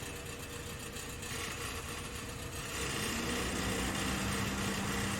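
Engine idles, then a steady low hum comes in about halfway and holds over the running; an odd noise, cause not yet pinned down. Cause suspected, not confirmed.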